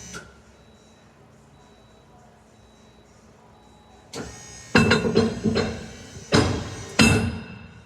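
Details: RV leveling jacks running under load make loud irregular pops and groaning creaks after a quiet spell with faint beeps; the noise is getting worse.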